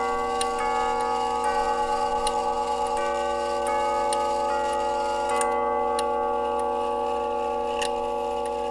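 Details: Grandfather clock tube gong movement running, steady tick-tock under long ringing tubular chimes that hang and fade cleanly; after hammer refurbish for worn leather pads, runs and strikes normally.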